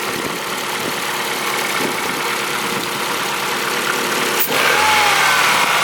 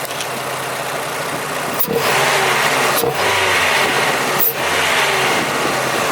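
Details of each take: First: Old abandoned Ford engine running with accessory belt disconnected to isolate a noise (owner considered timing belt): steady, even run with smooth hiss, no squeal or chirp; noise gone with belt off. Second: Old Ford engine after new injectors and throttle body, jump-started on flat battery: loud intake hiss through the filter, three short dips about a second apart; runs better, wants more air, but intermittent stumble at idle remains.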